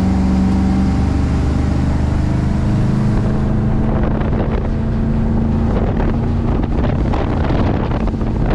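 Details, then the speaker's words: 1988 Formula 206 boat with the 57 motor, under way on Lake Havasu with trim all the way down. Strong steady drone with wind and water noise, no surging or misfire: running healthy. "all right let's let her light her up where's the trim on this uh right side is it all the way down right now it's all the way down oh yeah Run's healthy"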